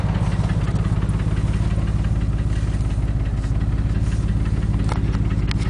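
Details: Porsche 911 (996) 2000, 110,000 km, at idle: deep steady pulse with dull knock about three times a second and a few sharper taps on top; engine knock.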